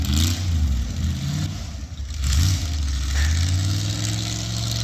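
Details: Cutlass V8 revving up and settling with a deep, steady exhaust note; the earlier noise, feared to be a spun bearing, was headers rattling in the fenders, fixed by moving the pipes out; now no rattle, engine healthy.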